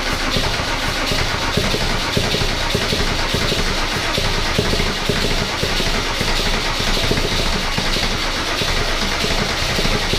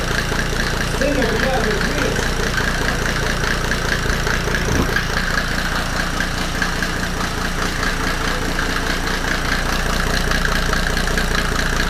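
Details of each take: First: Mercedes W124 OM606 diesel turbo project, first start: loud, hard clatter held at a fast, unchanging speed instead of settling to idle, because the throttle was held partly open. Owner first suspected fuel leaking or a runaway. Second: Mercedes W124 OM606 diesel turbo project after first start, no intake manifold, throttle released: loud but even clatter at a settled idle with no knocking, nailing or missed beats, despite worries about timing; running normally.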